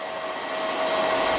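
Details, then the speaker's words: Battery-restoration pulse charger's cooling fan runs as a steady airy rush with a faint constant whine, no wobble or ticking, while delivering 5 A; fan noise largely masks the frequency tone. Normal cooling fan. "ถ้าเราเร่งกระแสสูงสูงจะได้ยินเสียงความถี่นะครับแต่เนื่องจากเสียงพัดลมของตัวเครื่องค่อนข้างจะดังอาจจะไม่ได้ยินเสียงความถี่นะครับ"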